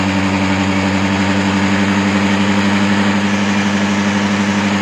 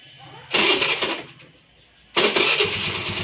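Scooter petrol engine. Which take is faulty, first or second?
first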